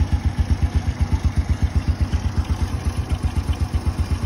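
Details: Original 110 cc motorcycle engine, described as very quiet running; low, regular thumping at about four beats a second, even with no tapping — normal idle.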